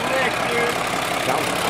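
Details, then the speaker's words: Restored Mercedes Unimog diesel just after a cold start on a roughly 103-degree day: steady, even idle settling smoothly without throttle, no misses or knocks; normal solid idle. "God that sounds solid"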